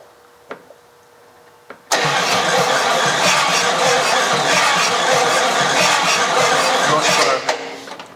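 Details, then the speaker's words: 1956 Chrysler Windsor 331 Poly V8, new plugs and wires, no carburetor: starter cranks evenly about five seconds, never fires; no spark, coil suspected not getting power or not grounded. "Okay, so that means we're not getting power to the coil, or it's not grounded."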